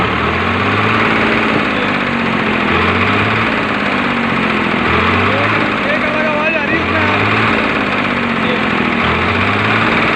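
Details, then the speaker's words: Engine idles normally but when revved gives a hard rapid "kat-kat" clattering knock; head to be opened to find the problem. "पर जैसे मैं इसको race देता हूँ तो इसमें cut cut cut cut cut cut cut आवाज़ आती है इंजन में से।"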